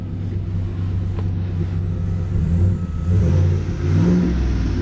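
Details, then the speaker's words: 2017 Chevy single-cab short-bed V8 pickup, 15,000 miles, full MagnaFlow or Flowmaster exhaust: deep throaty rumble swelling and falling as throttle is blipped, smooth and even, no knocks or misses. "Got a V8, short cab, short bed, single cab, short bed, full Magna Flow or Flowmaster."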